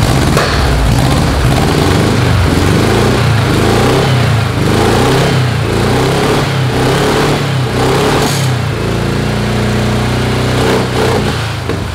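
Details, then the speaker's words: Carbureted VW engine on a custom tracked trike, first start after build: strong, even exhaust beat rising and falling smoothly with throttle blips, no misfires or knocks. Normal running. "sounding good i'm happy with the way it sounds"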